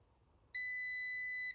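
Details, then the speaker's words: Multimeter continuity check of leg joints near R50 on a Supersonic pinball board: a single steady high beep of about one second; continuity beep, good connection. "So, we have a good connection there. Let's check these other two legs."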